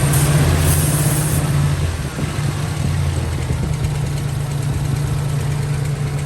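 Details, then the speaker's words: 1997 Lincoln Town Car Signature, sat 2 years after timing chain failure: low, lumpy idle, uneven beat like half the cylinders dead; coils spark but pulling one bank's wires changes nothing; owner suspects fuel starvation. "so we've got lots of fire coming out of these coils but when we pulled the number one or that first one it comes over here and there's nothing it doesn't change the way the motor runs at all"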